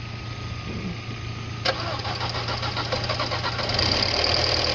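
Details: 2006 Audi A4 abandoned about four years, spare battery fitted: a hum, then slow cranking beats about three a second that catch and settle into an even-running engine.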